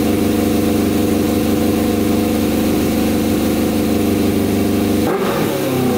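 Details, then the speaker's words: Custom 100 hp Yamaha Banshee two-stroke, tank lacking a fuel pump filled nearly full: crisp, even idle and very high revs, cutting off sharply at the end, no knocks or misfires; normal idle and revving. "huh all right this thing sounds insane oh my god this thing is going to fly you guys hear that thing holy cow i'm really scared to ride this thing oh my that is just insane oh man that revs up so high too"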